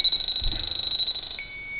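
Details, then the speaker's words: Viking Professional wine cooler with three evaporator coils, system pressurised to about 72 psi: leak detector beeps rapidly then merges into a steady tone near the coil; unsure if from evaporator or freon-blown insulation. "and i'm picking up traces and i'm not sure if it's coming from the evaporator coil or if it's just from the insulation"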